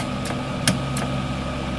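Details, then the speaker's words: MIG welder with wire feed motor rigged to a battery: three crisp clicks over steady welder hum as the trigger is pulled, the gas solenoid opening normally, confirming it works. "when I'm pulling the trigger that should be your solenoid working"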